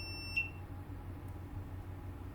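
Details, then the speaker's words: PS5 with no power, multimeter continuity check near the reballed South Bridge: a single short high-pitched beep to ground, revealing a short on the 3.3V power-good rail. "So I started checking for shorts around here. You can hear the beep on the ground."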